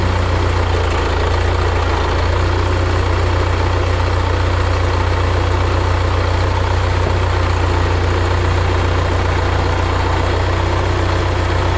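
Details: 1975 Case 680CK backhoe diesel, first start after long storage, following oil change (over a gallon of water found in crankcase), fresh coolant, hydraulic oil and batteries: even, steady low idle thrum with no stumbling; normal idle.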